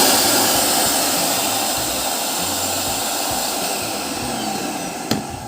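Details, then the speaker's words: Samsung SC18M2150SG vacuum cleaner after cord reel contact repair, test run before full reassembly: smooth steady rushing whine at constant pitch with no stumbles or rattles; normal vacuum motor running. "सब कुछ काम कर रहा है।"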